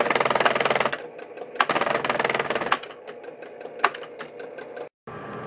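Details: 1966 Williams Full House electromechanical pinball, left flipper: rapid buzzing chatter in uneven bursts, about four clacks a second; ohmmeter shows the left flipper coil winding open, unlike the good right coil at about 8.7 ohms.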